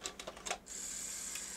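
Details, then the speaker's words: Sony Super Beta SL-HF600 (NTSC Betamax, 711B2 deck) tries to lace with no cassette down: quick mechanical clicks then thin steady motor whine; suspected faulty cassette-down switch or unreliable unlaced end-point detection, not confirmed. "oh that was mad it tried to go down it tried to lace when the tape wasn't down what's that about that just doesn't make sense does it"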